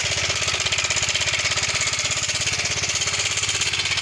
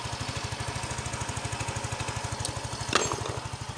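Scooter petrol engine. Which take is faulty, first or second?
first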